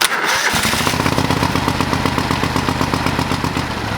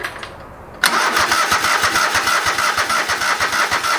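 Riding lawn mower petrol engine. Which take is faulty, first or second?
second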